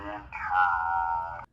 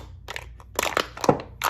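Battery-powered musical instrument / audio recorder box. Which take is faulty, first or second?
second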